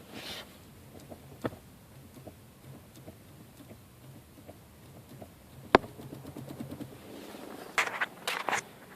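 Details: 2006 Audi A3 with engine off: scattered dry scrapes and clicks as the steering wheel turns, something rubbing in the steering column.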